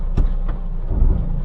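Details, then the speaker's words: Rear brakes, car at full stop with brake pedal held, shifting from Neutral to Drive or Reverse: a couple of dull metallic clanking, vibrating-metal clunks, not a squeal; traced to worn, dirty rear brake pads, cleaned and replaced. "there is a clanking sound it is not squeeling sound but like a vibrating metal sound for example our gear is on Neutral when I shift to Drive it will make a clanking noise or in Reverse because I am stepping on the brake pedal"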